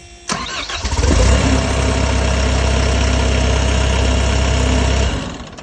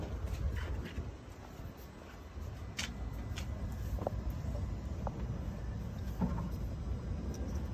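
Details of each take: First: MCR diesel with the fuel pressure sensor plugged back in, jump pack connected and the lift pump running strong: a brief crank, then it catches at once and settles into a steady, even idle. Normal start. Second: MCR machine on a jump pack with the fuel pressure sensor disconnected to allow cranking: after a click the starter cranks steadily at about four beats per second, but the engine never catches. No fuel pressure.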